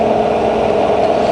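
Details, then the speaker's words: Fully rebuilt Bridgeport variable-speed milling machine, spindle running with quill power feed engaged feeding down: steady, even mid-pitched hum, no knocks or grinding; spindle and feed run smoothly. "Okay, so engage the feed, and you see it's feeding down. You should be able to see the handle moving there."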